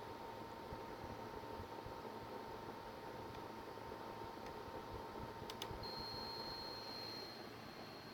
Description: I have a buzzing noise at the end of Unigine Heaven with the PSU Corsair AX850 and the GTX680 Lightning. With this video I've verified that the sound comes from PSU.